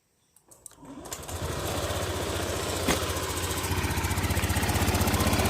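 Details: Honda Beat F1 scooter started right after valve clearance adjustment, magneto cover not yet refitted; catches after a few cranks and settles into a steady, even idle with a clean regular beat and no valve ticking.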